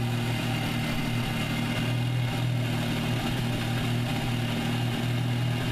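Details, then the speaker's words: MKVI GTI at cold start after a CTS Turbo oil catch can install: a low drone with uneven stumbles and a whooshing air surge, the same misfire as before. The problem persists and the cause is unclear. "same thing as before same cold start video that I had before where you get misfires in air surge"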